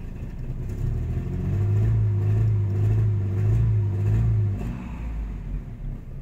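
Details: Nissan 2.4 pickup with power loss, barely moving: low steady drone as throttle opens but revs barely climb, engine flat; live data shows abnormal MAF reading not responding, faulty MAF sensor replaced.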